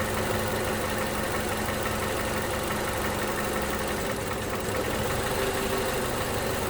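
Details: 2011 Toyota Camry 2AR-FE, just fitted new lifters and rocker arms: revs to 1500 rpm then throttle released, faint light valvetrain ticking under idle; engine seems to want to die but keeps running.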